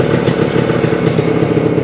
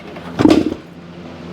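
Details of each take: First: 1975 Suzuki TS-250 two-stroke, first start after a no-start, about 30 degrees out: crisp, even buzz holding steady the whole run, no stumbling or misfire; healthy after loose screws re-secured, stator rewired, coil grounds repaired. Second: 1975 Suzuki TS-250 two-stroke with a 6-volt system and a rewired stator, key and fuel on, fuel confirmed: two dull kick-through thuds with no firing; won't start. The plug was then found wet.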